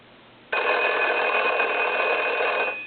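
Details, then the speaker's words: Foreign desk telephone, believed to be a German post office model, converted to touchtone, with its original bell, at final checkout: a bright electric bell rings cleanly and evenly for about two seconds, then stops; ringer works. "now what I want to do first is I want to ring the telephone"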